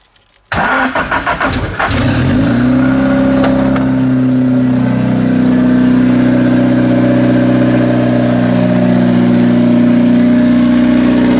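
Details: SR20DET-swapped Datsun 510 after rewiring, ECU now priming the fuel pump: brief crank, catches fast, flares up, then settles into a steady, even idle with no misses or knocking; healthy start.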